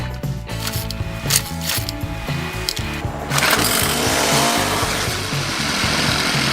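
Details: Troy-Bilt weed whacker/edger two-stroke engine right after replacing its fuel line and return line, started on choke: it sputters at first, then revs up to a steady buzzing run and holds it, so it is running normally.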